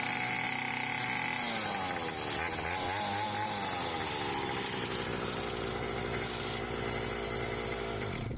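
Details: Restored Hawkmoto 49cc two-stroke kids quad, fitted with a new NGK BM6A plug and pull-start cord, case and chain fixed, first outdoor start: a high, buzzy note revs up, dips and settles into a steady crisp run; running healthy.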